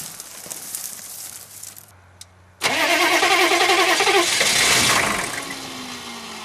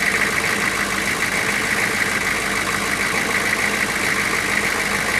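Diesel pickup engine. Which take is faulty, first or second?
first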